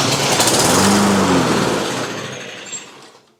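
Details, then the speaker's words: Toro GTS 140cc mower that would not start after sitting over the winter, with good compression, on a hot day with the choke partly closed. On sprayed flammable liquid it buzzes briefly, then dies; fuel starvation from a dirty carburetor is suspected. "All right, so she does run, and if you look, that choke is somewhat closed, so it's probably pretty accurate. I'm suspecting we've got a fuel problem because it didn't keep running after I, you know, did that just now, and it should have."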